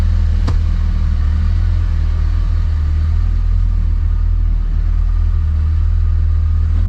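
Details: 2005 Dodge Ram 2500 diesel idling after repair for a water-in-fuel sensor warning and fuel system priming; steady, even diesel rumble with no misses or knocks, running cleanly.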